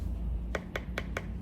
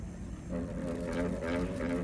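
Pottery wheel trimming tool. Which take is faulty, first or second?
second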